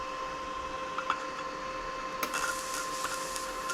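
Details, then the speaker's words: Forney 20P plasma cutter with brand-new spare head on 1084 steel, good ground: steady hum with irregular relay clicks, about five in four seconds, no arc; clicking without cutting, later found dust and cobwebs inside, gun replaced. "that's all the spark i get if you listen you can hear it sounds like relays clicking but that's all i'm getting"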